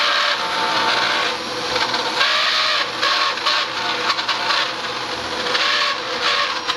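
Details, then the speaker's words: Dyson DC07 vacuum: runs normally until the brush bar clutch is engaged, then a harsh steady high-pitched scream over the motor; bar not bound and still turns, owner suspects brush bar bearings rather than the clutch; brush bar squeal. "when you engage the clucks on this thing it just starts screaming it's not bound up the bar still turns but it sounds awful"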